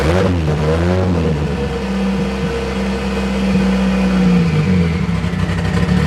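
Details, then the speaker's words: Rear engine of twin-engine Toyota Starlet with new Haltech ECU; big cams give a very loud, lumpy, loping idle at only eight inches of vacuum, exhaust exiting under the car; healthy big-cam idle. "there's no doubt about it it's very very loud this has an exhaust that just exits out the bottom of the car we have eight inches of vacuum at idle and you can tell it's very very lumpy"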